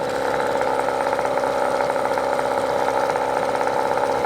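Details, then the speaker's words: Brand-new Hangkai 18 hp two-stroke outboard, first start just after setup and fuel mixing: even, buzzy idle with steady pitch and no misfires or rattles; running healthy. "It sounds pretty good."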